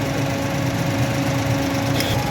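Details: Japanese Suzuki automatic (800–1000 cc) with the check engine light coming on: idles with an uneven, stumbling beat rather than a smooth hum; misfire, with the spark plugs pulled and checked.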